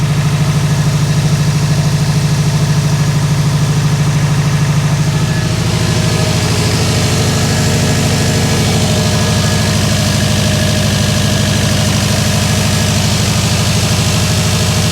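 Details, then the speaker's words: Subaru WRX with freshly rebuilt 2.5 turbo engine, first start after oil priming: steady low idle with an even throb and no stumble or skipped beats, oil pressure light goes off, no visible leaks; idles smoothly. "Oh, it sounds good. Oil pressure light went off."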